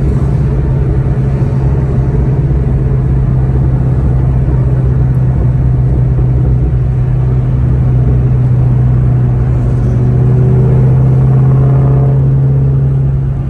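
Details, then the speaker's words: 2003-2004 SVT Cobra T56 with aftermarket 26-spline input shaft, driving: steady low engine drone, even hum under load, no gearbox whine or grinding; shifts fine, as gears sit farther back than the input/countershaft where the noise originates. "now driving around it's completely unaffected the car shifts just fine and that should be because the gears are all farther back in the transmission"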